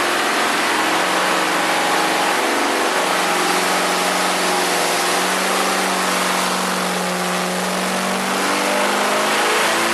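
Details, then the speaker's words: Carbureted V8 on the dyno after secondary jets changed, warmed to 180 degrees, final full-throttle pull: loud even roar climbing steadily in pitch, no misfires or knocks; made 410 hp at 4,800 rpm and 440 lb-ft torque. "So it's going to be really torquey, really nice in the middle as you're cruising down the road, lots of torque, and the top end is great. It just kept on climbing. Excellent performing engine"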